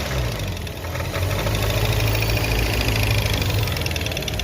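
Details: Car engine at idle and light throttle: loud, uneven knocking over the idle from the belt-driven accessories up front, traced to a worn air-conditioning compressor. Worn A/C compressor.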